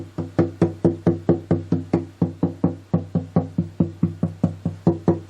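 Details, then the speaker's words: Dreadnought acoustic guitar back tapped from the top down to check for loose or broken braces: even woody taps a little over two per second, each ringing cleanly with no buzz or rattle; none loose. "9 times out of 10, if you have a loose brace or a broken brace, you're going to hear it by doing this. And this sounds really good to me. There's none loose."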